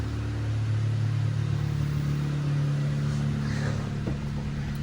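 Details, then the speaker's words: Acura RSX with Skunk2 Mega Power exhaust, recorded in a spray booth: steady deep even exhaust drone with slight rev rise; engine smooth, possible exhaust leak at the underneath connection. "Engine's very smooth. Sounds really, really good. So super pumped on that."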